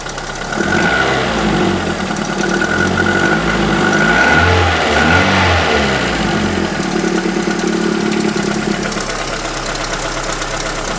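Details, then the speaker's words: Renault Twingo engine restarted after spark plug gap set to 0.9 mm, following valve clearance adjustment and valve stem seal replacement; cylinder 4 has poor compression, causing rough idle that hunts and wavers like a lingering misfire, borderline, not yet settled; fuel smell, check engine light on. "c'est limite là on sent que ça tourne mais bon c'est c'est pas encore"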